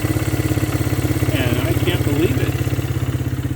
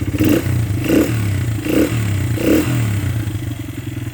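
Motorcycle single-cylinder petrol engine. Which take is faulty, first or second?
second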